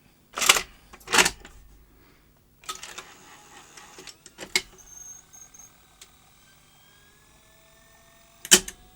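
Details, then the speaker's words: 1979 Philips N1702 VCR-LP video recorder after fitting capstan and drum belts, borrowed video heads: sharp isolated clacks and whirring clicks as the mechanism cycles, no steady tape-running hum; tape not running and piling up, transport trouble. "That didn't quite go to plan. The tape didn't run. Try that again. Um, tape seems to be piling up. We're having a bit of tape transport trouble."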